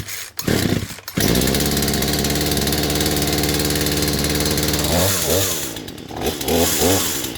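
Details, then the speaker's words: Poulan Pro chainsaw that wouldn't stay running starts, holds a steady buzz, then sags and stumbles when revved; bogging, owner suspects idle screw and carb mixture adjusters. "Okay. Sounds like she started right up pretty good. But so far I can hear that it was bogging a little bit, so it was probably the idle screw that needs to get adjusted, and maybe the adjusters as well."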